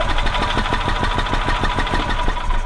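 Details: Gas 1985 Club Car DS, wants to start then dies unless throttle feathered; fuel filter replaced and electric fuel pump confirmed working: rapid chuffing about six per second as it turns over, briefly runs, then dies; carburetor suspected.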